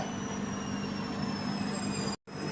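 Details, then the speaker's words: Singer automatic washing machine on Express Super Short program during spin-dry: steady fast whirr with low hum and faint high whine, even and unbroken; normal high-speed spin wringing out water. "এটা নয় যখন থাকবে timer তখন হচ্ছে এটা এরকম স্পিডে ঘুরবে এটা পানি এভাবে নিংড়ায় আর কি"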